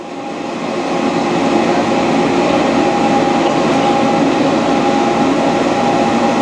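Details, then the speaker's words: Dainichi Model H lathe with power feed on, taking a light cut that barely loads the spindle. Smooth, steady hum with a fine even whir, no gear grinding or knocking: normal running under a light cut. "as you can hear it's not making any noise gears are not grinding in really good conditions very low our machine we're just taking a little cut it's not even loading the spindle at all"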